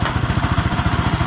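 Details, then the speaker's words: Sniper 150 at idle with clutch lever released: heavy, harsh rattling thump about ten times a second with rough vibration felt by hand, vanishing when the clutch is pulled; worn clutch housing damper. "naingay ulit, may vibration, ang bigat, ang bigat ng tunog dito, no? O kahit hawakan mo nga, oh, parang medyo magaralgal talaga."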